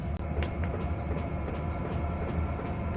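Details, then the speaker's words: Hcalory 5–8 kW 12 V diesel air heater running and putting out heat: low rhythmic thumping from the dosing pump under a steady roar, amplified by the wire-grate cart it sits on; mounting resonance, fixable by relocating or isolating the pump. "You can definitely hear the pump noise now. It's even amplified even more by going through this wire cart. Got the little wire grate stuff on it."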